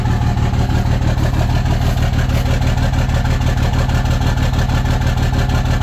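Steady low engine idle with a pulsing, lumpy beat about three times a second that never smooths out; the idle is rough.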